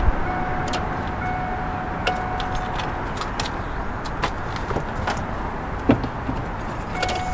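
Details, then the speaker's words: V8 vehicle in snowy cold weather, key turned: faint steady fuel pump hum and light solenoid clicks, no starter turning; no-crank, suspected park/neutral safety switch. "okay well i could hear the fuel pump hum but i couldn't hear any starter noise um slight clicking but it sounded just like solenoids from when i was cycling that key to the on position"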